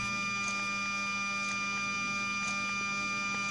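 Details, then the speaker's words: Mercedes SL600 V12 throttle body on the bench, potentiometer replacement, driven by a 1993 E-gas module with power applied: faint regular ticks about once a second over steady electrical hum as the actuator twitches as expected. "this is the primary throttle I'm using throttle body from a 93 just to get slave one energized so I'm going to put Power on there that's the twitching"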